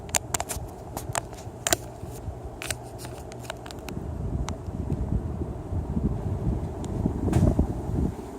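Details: Original test fan running with a low steady hum and scattered light clicks early on; motor humming more than it should, previously ran nearly silently.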